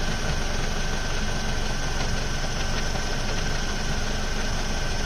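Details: Ford Focus Mk2 2.0 Duratec with MTX-75 gearbox at idle: loose, uneven rattle about three per second; it disappears when the clutch is pressed; not the flywheel or release bearing; clutch fully replaced but rattle persists.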